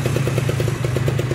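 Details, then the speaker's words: Kawasaki Ninja SS two-stroke restored after being caught in a flood; it was noisy before the restoration. A crisp, even beat of about ten pops per second over a steady low drone, with no misses or rattles; running normally and smoothly. "jos goreng mantap neh halus banget ya bosku"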